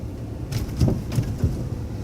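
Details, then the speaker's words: Old truck rolling slowly over a speed bump at -12°: three or four dull bangs from something loose underneath. The owner first suspected ice, then believed it was loose hanging parts under the running boards. "Something's banging somewhere. Sounds like a door that's open, but there's no doors open."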